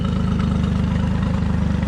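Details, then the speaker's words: Evinrude E-TEC 115 tiller outboard after a throttle stuck from sitting was freed (the water stream is possibly clogged): a smooth, even low putter at idle with no misses or knocks. This is a normal idle. "so this motor is completely done check this out running great"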